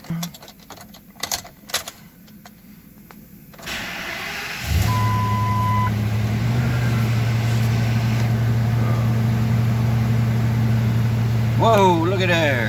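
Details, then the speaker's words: 2005 Ford F250 6.8L V10 3-valve Triton, 599,000 miles, won't accelerate: after start, low idle with uneven lumpy pulse and shaking, camera on steering wheel; misfire at idle, later codes P0354 coil D. "she definitely got a miss i set the camera on the steering wheel there she's got a little bit of shaky shake"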